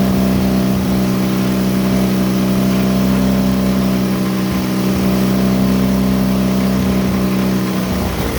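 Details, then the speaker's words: John Deere Model R tractor pony starting engine, first start after head torque and new plug wires: fires and settles into a steady, even drone with constant pitch, no knocks, misses or rattles; normal running. "all right sounds good to me"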